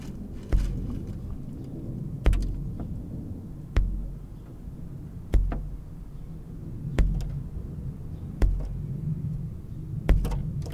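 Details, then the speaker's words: Ferrari Mondial timing belt plucked repeatedly during a valve clearance job: dull, very low twangs about every second and a half. It twists about 45 degrees with thumb and forefinger, so the belt is correctly tensioned. "the sound it makes for those of you that you know really want to nail it down um okay so the sound it makes is this it's a very low note you can just hear it"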